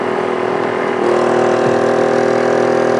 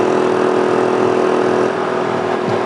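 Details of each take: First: 800/1000 W inverter generator running a 5000 BTU air conditioner, switched back to max cool soon after the compressor cycled off: the drone deepens and strains about seven seconds, the overload light comes on, then it eases. Owner suspects he didn't wait long enough. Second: Small 800/1000 W generator powering a Frigidaire 5000 BTU air conditioner, thermostat turned down to shut the compressor off: steady mid-pitched engine drone that eases and quiets as the compressor load drops; generator runs normally.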